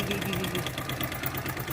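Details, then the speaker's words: Hero Splendor motorcycle with a full litre of oil but no oil reaching the top of the engine, so the oil pump is suspected failed: sharp rapid metallic ticking over a rough idle. Engine knock from oil starvation. "इतने engine में बिजली supply नहीं है तो मतलब जिसको oil pump है वह खराब हो चुका है"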